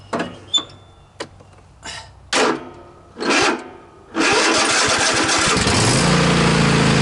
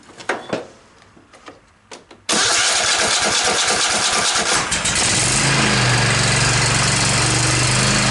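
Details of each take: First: Cub Cadet XT1 46-inch riding mower during a starter-cable voltage drop test: several sluggish, uneven cranking bursts before it catches and runs. About a 2 V drop was seen, well above the 0.5 V limit, with crusty connections. Slow cranking from high voltage drop in the starter cable. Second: Cub Cadet XT1 46-inch riding mower after starter replacement: a few clicks, then a quick crank and the engine catches and settles to a steady even idle; normal start.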